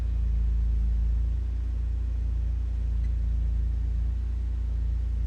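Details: 2004 Porsche 911 Turbo track car with high idle, rough running and no full boost, during diagnostics while battery and alternator voltage are checked at idle: a low, fast idle drone with a slow wavering swell; idle sits high and slightly uneven.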